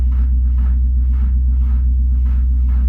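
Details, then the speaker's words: Subaru L series (Leone), manual, cranked on jump from a V8 Hilux; heavy, labored, slow uneven cranking about four compression pulses a second with no catch ("no juice"), cause not confirmed. "It's not happy, but it cranks. It's got no juice."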